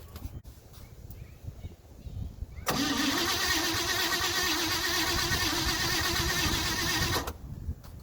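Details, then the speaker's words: 1957 Chevy 5400 low cab forward with swapped 1955 265 V8 and freshly rebuilt manual-choke Rochester 2G carburetor, back after three months down, battery charged an hour: about 4.5 s steady starter cranking, no firing, refilling the dry bowl; it then started. "So that would be just filling up the bowl right there. I don't want to crank it too long, of course, it's overheating the starter."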